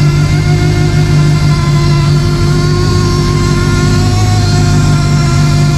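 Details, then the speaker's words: Forester STI build on second cold start with a quick base map and possibly a small exhaust leak; power steering fully drained, not yet bled: deep loud rumble with a steady droning whine from air trapped in the power steering pump. "I could make the power steering noise go away, but man, does she sound good, guys."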